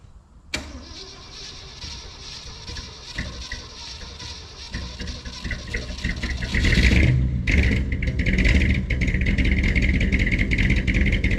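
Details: 1967 rig, over 50 years old and sitting on old bad gas, started on full choke with a few pumps and a borrowed battery. It catches after cranking, then settles into an uneven, lumpy, loping idle. Fires right up but runs rough.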